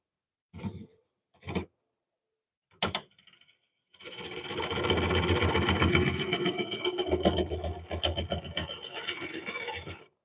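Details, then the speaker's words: Lathe turning a cracked cork oak bowl. A few single knocks give way to steady cutting with a quick tick every revolution, about four a second, as the tool catches on rough pith. "You hear that tick, tick, tick, tick, tick? You do that tick, tick, tick, tick, tick, tick, tick. It's coming around."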